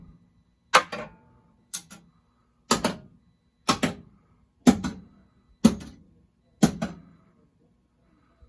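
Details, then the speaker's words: System 11 pinball machine in for a High Speed MPU repair (client reported no sound), solenoid test: sharp coil snaps about once a second with short ringing decay; every solenoid and flasher fires cleanly, all working properly. "so those are all working properly"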